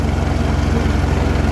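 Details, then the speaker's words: Farmall 806 diesel tractor pulling a John Deere 7000 planter at about 10 mph, 1700 rpm: deep, uneven labouring chug, fuel-starved; string pre-filter and paper fuel filters found clogged with algae-rust gunk and replaced. "She sounds terrible. It feels like it's lacking on fuel. So I'm really hoping it's just some clogged up fuel filters."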